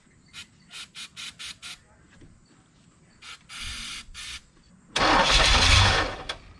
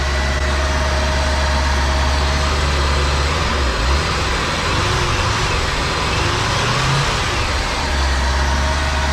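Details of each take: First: 1985 Chevrolet Corvette, parked 20 years, supposedly 24,000 miles, another squirt of starting fluid with no mass airflow sensor hooked up: short sputtering catches, then a couple of clean revs that die off. Fires readily and sounds quiet and healthy; fuel pump/tank still pending. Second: 1985 Chevrolet Corvette, claimed 24,000 miles, sat 20 years, new alternator just fitted: deep steady idle, then revs swell and falter when throttle blipped before settling; stumble on throttle, owner suspects bad mass airflow sensor, plugs and wires unchecked.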